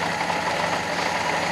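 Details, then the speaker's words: Fiat Panda 4x4 Sisley after carburetor cleaning of iron oxide clogging, first start: lumpy, uneven tick-over with a stumbling beat, smelling of petrol as if over-fueling; rough idle caused by jammed float set too high. "However, she's running not how she used to. She used to be very, very smooth on tick over."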